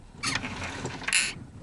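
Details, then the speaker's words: VAZ Zhiguli (Lada 2104) turned at standstill by a helper: two harsh creaking knocks and a sharp click from above, suspected steering gearbox; noises reportedly worse while driving. "Пришла тут ко мне помощь чтобы покрутить рулем чтобы точно убедиться что это дело в рулевом редукторе"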